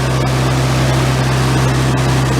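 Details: Generator engine with replacement oil-bath air cleaner and exhaust elbow, carburetor cleaned and float readjusted, set to 120 V AC, water temperature under 100 degrees: loud steady hum with even firing, reading above 63 amps and running too fast, so the governor needs turning down.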